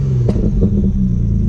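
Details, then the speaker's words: Audi B5 S4 on a cold engine after fitting a new 3-bar MAP sensor and a tune calibrated for it. A short, clean rev blip rises and settles without stumble, so it revs normally. There is a known bad exhaust leak underneath. "It's still cold. But yeah, it seems to rev normal."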